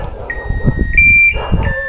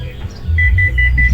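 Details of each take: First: Hitachi 15 kg washing machine after repairing F1 error by rejoining a broken wire: clean steady power-up beeps and normal start, no error tones; working properly. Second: Hitachi 15 kg washing machine showing an F1 error: a quick run of high beeps, about five a second, over a low hum. The error alarm was traced to a rat-chewed wire.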